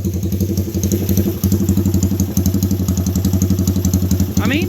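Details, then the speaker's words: Honda ATC 200X three-wheeler with 214 Web cam, 10.25 compression, Curtis Sparks pipe, a little cold: lumpy but steady single-cylinder idle, about four even thumps a second, muffled by the pipe, brief throttle blip at the end; normal idle with performance cam. "Now this one doesn't idle as crazy as that other bike. It still sounds good, but the Curtis Spark pipe muffles it out a lot."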